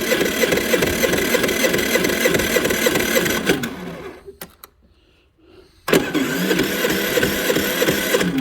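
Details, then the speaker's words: Generator that quit after running out of gas; runs a few seconds on poured-in fuel, sags and dies, then fires again on poured-in fuel; it isn't getting gas, fuel line and carburettor bleed valve to be checked. Fuel starvation, water in fuel. "Well, there you go. Ran out of gas, so it's not getting gas."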